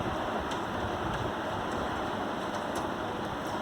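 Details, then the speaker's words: Core i5 7th-gen, 16 GB RAM desktop PC about 1–2 years old that keeps hanging: steady loud rushing drone with faint periodic ticks from the SMPS power supply fan, noisy because clogged with dust. "मैंने कहा था video की starting में कि हमारा CPU एक noise आवाज़ कर रहा है बहुत ज़्यादा, तो वो क्या था कि वो ये जो SMPS है, इसका जो फ़ैन है वो मिट्टी की वजह से आवाज़ कर रहा था, डस्टिंग की वजह से, ठीक है जी।"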